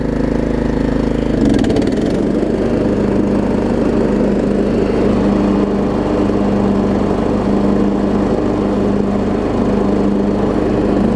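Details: Troy Bilt Pony riding mower after its no-start was fixed (loose starter solenoid connection, new battery), with new blades: steady, even drone holding speed with blades engaged, no misses, knocks or surging; normal running under load.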